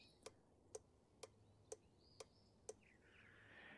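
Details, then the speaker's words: 2003 Chevrolet Silverado 2500HD 4x4 LB7 Duramax, glow plug/intake heater relay tested on relay tester, crisp evenly spaced clicks about once a second; relay cycles properly and is good. "And if the green light remains on, that means that relay is good."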